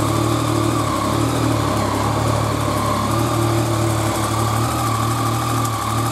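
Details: Yamaha FZ-09 at idle just after fitting a new LiFePO4 lithium battery in place of the lead-acid one. It cranks and fires up quickly, then settles into a steady, even idle with a smooth low rumble. No knocks or misses; charge voltage reads 14.2 V.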